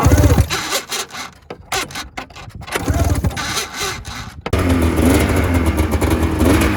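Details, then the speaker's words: 2005 Polaris RMK 900 snowmobile, 3,100 miles: after handling noise an even two-stroke drone settles in, no crank slapping or knocking; engine does not sound blown. "Doesn't sound blown up to me. I don't hear the crank making any noise either, like slapping."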